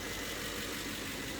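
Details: 2007 Mercedes ML500 5.0 L gasoline V8 after the serpentine belt broke and wrapped around the pulleys: busy diesel-like top-end clatter over the idle hum; cause not yet known.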